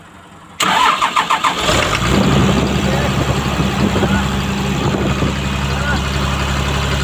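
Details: Komatsu PC200-8N1 excavator diesel, hard starting caused by leaking common rail fuel relief valve: brief crank, catches within a second or two, settles to steady even idle with no knocks or misses.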